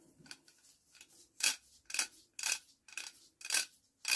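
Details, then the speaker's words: Barford Atom axle hub ratchet after WD-40 then a good dose of oil; crisp, even metallic clicks about two per second, ratchet and hub fixed, clicking freely. "that is perfect hear that there we go one ratchet and hub fixed"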